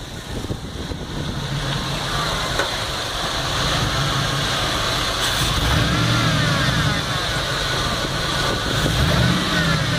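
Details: 5.3 V8: idle surging only when warmed up, the low exhaust beat stumbling as speed drifts up and down; misfire developed after sitting for a couple of weeks.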